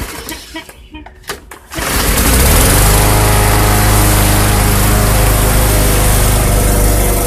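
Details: Bolens/MTD 11A-B0BL765 21-inch push mower, Briggs & Stratton 500 Series 140cc, repaired old-fuel no-start, cold start after sitting about 1.5 hours: catches near two seconds, then steady even beat, no misses or surging; runs great.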